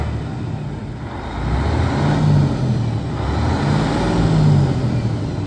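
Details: 2007 Freightliner M2 112 with a Mercedes-Benz 12.8 L 410 hp pre-emissions diesel, Eaton 8LL and 172,000 miles, idling after start-up: a steady, even low rumble with gentle speed swells and no knocks or misses. It sounds healthy.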